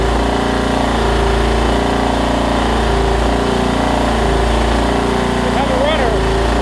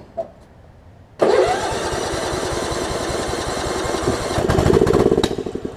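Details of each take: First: Craftsman LT1750 Kohler mower after priming fuel to the pump: steady even putter from the small single with no knocks or misses; normal running. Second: Craftsman LT1750 Limited Edition lawn tractor with Kohler engine from a mouse-nested mower, air filter off and fuel line leaking: starts after a short crank, then stays at low speed, rising only briefly; won't throttle up, cause suspected, not confirmed.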